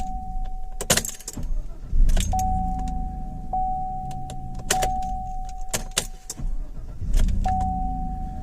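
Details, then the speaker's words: 2014 Chevrolet Silverado with intermittent no-crank (previously clicking as if battery dead; corroded relays replaced), tested after sitting: door chime, brief firm crank, quick catch and steady idle; starts normally, fault not reproduced. "I'm going to attempt to crank it and see if it'll act up now as usual vehicle starts like nothing's wrong"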